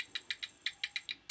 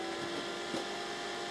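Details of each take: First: Dell OptiPlex 760 with flashing orange light, peripherals disconnected, power-on attempt: about eight sharp uneven high snaps in 1.5 seconds, no life; arcing, power supply suspected dead. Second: Dell OptiPlex 760 powering on and booting to BIOS: quiet even whir with steady mid-pitch hum, no rattles or surging; fans spinning up cleanly, normal.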